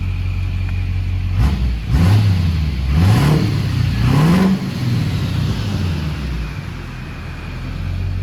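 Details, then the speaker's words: Built Duramax diesel (studded, keyed crank, built transmission, regular non-alternate-firing cam) in a pickup, after repair, heat cycles and coolant flush. Deep note climbs and drops through four quick throttle blips, then steady rumble. Runs excellent after about 20 miles. "But this thing is an absolute monster. I've drove it maybe 20 miles on it, and the thing just runs excellent. The engine sounds great."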